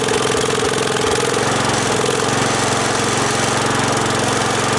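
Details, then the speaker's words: Wheel Horse 416-8 garden tractor, over 2200 hours, running after a no-crank repair: loud, steady single-cylinder beat holding an even speed without stumbles; running well. "not bad let's take it for a ride so so sounds pretty good that's pretty nice well over 2 200 hours and she's still got some life left in her"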